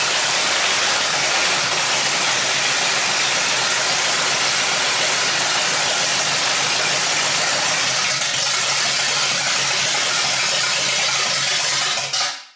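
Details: 1968 Pontiac GTO first start after drivetrain rebuild: Pontiac 400 with Butler 461 stroker kit, Comp Cams cam, hydraulic roller lifters; big V8 settles into a steady, even lumpy-cam idle, no knocks or misses, then shuts off cleanly.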